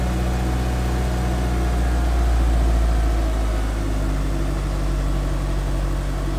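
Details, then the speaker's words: 1991 Eagle Talon TSi just started on a jump box after sitting over a year, dead battery: deep, even idle with steady pulse, no misses or rattles; runs smoothly after the long sit. "That is not bad at all. I'm I'm very happy with how that started. Basically, enough cranking to reprime the fuel system and uh was good to go."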